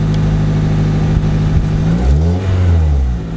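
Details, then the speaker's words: Honda Civic Si EP3 started and given a quick rev before header swap: loud, raw idle swelling on the blip, rough and blatty from the leak at the cracked, broken headers; to be replaced with used DC headers. "Alright, today we're gonna fix my exhaust leak. You know, them headers I have, they're broken. Sounds nasty."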